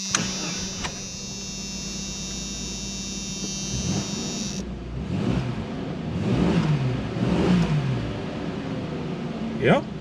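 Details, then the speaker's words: 1984-2001 Jeep Cherokee first start after replacing the spark plugs, wires, distributor cap and rotor, since the old plugs had heavy buildup. It catches and settles into a steady, even idle with no misfiring or shaking, running smoothly. "Sounds good. No misfiring, no shaking, no nothing."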